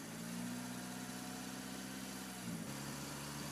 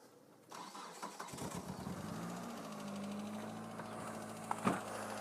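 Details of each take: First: 2000 Mitsubishi Lancer, 1.8 4G93 GDI, right-hand drive, 150,000+ km, a few minutes after adding Suprotec oil additive for hydraulic lifter knock: steady, even idle hum with no ticking or tapping; lifter noise gone. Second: 2000 Mitsubishi Lancer 1.8 4G93 GDI, 150,000+ km, right-hand drive, before additive treatment: cranks, catches, then light fast ticking over uneven cold idle from noisy hydraulic lifters, knocking both cold and warm.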